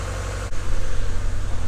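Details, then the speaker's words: 1996 Mazda Miata at idle after driving in rain, having sat about 17 years: an uneven four-cylinder throb with skipped beats, a misfire. It is suspected at cylinder two, where the plug wire shows an arc trail. "well with that I'm almost positive it's number two and it is sparking so I'm going to pull the plugs out I think I might have immediately found the problem"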